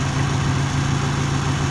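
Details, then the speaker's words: Ford Ranger idling smoothly and evenly with a steady pulse and no knocks, misses or surges; it sometimes revs briefly at first start. Exhaust possibly damaged and slightly louder, and antifreeze leaks from a bad radiator cap; engine runs healthy. "I mean, she's running like a dream. I mean, sit here and listen to it idle. Runs perfect."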